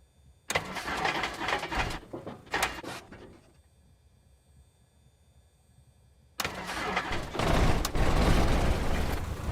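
Several bursts of labored cranking, each dying out, then a rough catch with sharp pops; the engine is reluctant to start and backfires.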